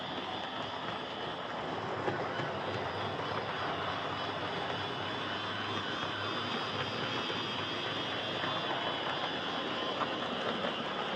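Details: Hornby Dublo R1 0-6-0 model locomotive, possibly around 60 years old and well run: loud, steady buzzy whir with rough rattly edge at even speed; noisy worn motor with brushes worn right down despite adjustment.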